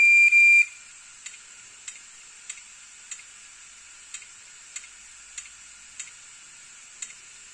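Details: Hard disk drive ticking inside: a short beep, then sharp regular clicks about every 0.6 seconds, roughly 100 a minute, over faint hiss; failing HDD clicking, data still recoverable.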